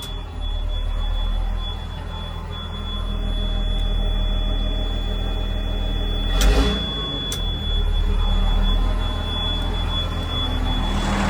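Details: John Deere JD6081H six-cylinder diesel, 10,739 hours, in a 300D articulated dump truck parted out for differential issues: deep, even idle rumble with no knocks or misses. It runs good and is healthy.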